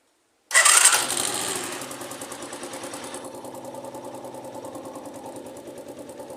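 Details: Dafra Zig 50 scooter after clutch-side repair for sewing-machine/pin-knocking noise, right side cover refitted: fires with a quick rev, settles to steady even idle putter with no clutch rattle; fixed, running fine.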